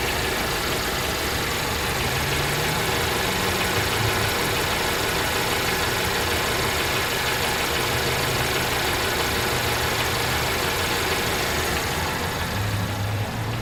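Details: 2017 Infiniti Q50 2.0t at idle, noise began after first oil change: light, fast tapping about three per second over the engine hum; top-end tick, cause unknown.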